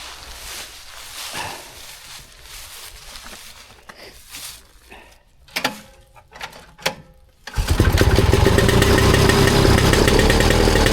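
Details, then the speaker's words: Vintage two-stroke snowmobile with fuel dribbling from the carb, after a new spark plug: loud, raspy, sputtering uneven running while spitting lots of fuel; rich running, owner suspects carb problem needing rebuild or the jet fitted. "you have it is spitting fuel that's a lot of fuel isn't it yeah it is spitting a ton of fuel"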